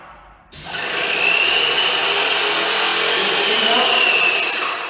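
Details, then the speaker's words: Electric paint sprayer pump with gun held open: high steady whine with fine rapid pulsing that keeps climbing and speeding up as it runs out of paint and loses pressure, no longer atomizing; must pause to let it catch up. "But that's not how Donnie rolls. He's 100 miles an hour. Listen, you'll hear it run out of paint."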